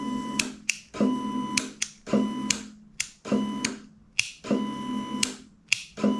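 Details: 2007 Honda CBR600RR after cleaning out dirt to cure inconsistent priming: a crisp relay click, then a steady whir repeating evenly about once a second, so the fuel pump now primes normally.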